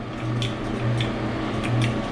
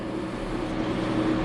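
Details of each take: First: Smith & Mills shaper first power-up: low steady hum swells when the rapid-traverse motor switch is hit but the motor never spins up; main motor runs smoothly. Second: Smith & Mills shaper running on a 480 V high-voltage supply, first start after transport: a steady, even motor hum with low drone, smooth with no knocks or surges, much quieter than a comparable machine.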